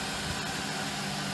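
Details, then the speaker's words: 1999 Lincoln Town Car auction buy, after a backyard zip-tie fix of a broken spring: steady, smooth idle hum with no stumble or skipped beats; misfire gone, engine in good mechanical condition. "Totally smooth, no more misfire. This engine's in good mechanical condition."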